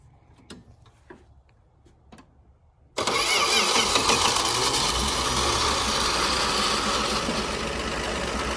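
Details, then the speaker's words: Dodge Dart sitting since 1992, restarted outdoors in the field after trying it in gear (no brakes, flat tire): a few faint clicks, then it fires right up on the second try and settles into a steady, even idle. "fired right up again that second time well boys we got a runner it ain't a pretty runner"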